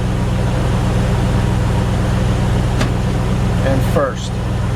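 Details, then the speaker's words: 1997 Land Rover Defender 90 four-speed automatic at idle during the fluid refill after a filter service, about 3 quarts in, shifted through neutral, drive and second. Even idle, slight sag as the gear takes up, no clunk or slip; normal engagement. "You can already hear even with just the 3 quarts we're already engaging into gear"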